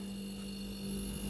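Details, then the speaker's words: Refrigerator that cools properly, heard from the back near the compressor: steady even low hum with no rattles or knocks; this is the normal compressor sound, slightly louder hum is still normal. "यह देखिए यह इसकी normal sound है अगर इसे थोड़ी से ज्यादा भी साउंड आए हल्के से तो भी इस तरीके का जो साउंड होता है व एक नॉर्मल साउंड होता है"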